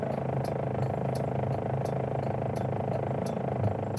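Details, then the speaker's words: Car driving lesson with the clutch held at the bite point and the brake off: the engine note rises and then holds as a steady low hum under even load; this is normal. "हाँ, अब देखो फिर आवाज change हो गई है। आवाज बढ़ गई है। अब फिर इस आवाज पर टिके रहना है आपको थोड़ी देर तक।"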